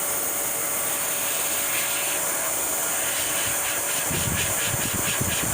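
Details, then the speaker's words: 2010 Mercury Mariner 2.5L exhaust leak: steady airy hiss over a vacuum motor's whine as air escapes a large hole almost all around the top of the exhaust pipe, letting fumes into the cabin. "wow what a hole I was breathing and all those I'm coming up this way to see if I feel anything else for now but yeah that is pretty bad"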